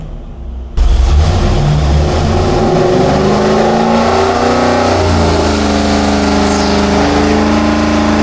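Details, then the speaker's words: Rebuilt barn-find Mopar 340 V8 with hydraulic flat-tappet cam and headers on engine dyno, 94 octane, about 34° timing, pull toward 6000 rpm: strong clean rising roar; 364 hp at 5600 rpm, 392 lb-ft, 70 psi oil pressure. Healthy full-throttle run. "At 5600 RPM, we pulled out 364 horsepower. Oil pressure is good. 70 lb at that RPM."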